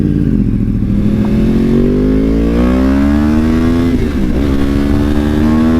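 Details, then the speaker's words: Wrecked 2014 Yamaha R1 after a complete rebuild, on its maiden ride: strong, clean engine note climbing smoothly with throttle and holding steady, no knocks or rattles; the rebuilt motor runs like a champ. "This thing runs like a freaking champ."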